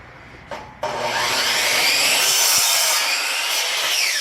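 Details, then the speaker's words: Power saw running off a solar off-grid battery bank; needs the trigger held about 2 seconds before it kicks in, then spins up and cuts wood with a strong, even rasp; normal operation with full power. "One thing, folks, you always have to remember when you have something that takes this much power right away, you got to hold it. It takes about 2 seconds for it to kick in."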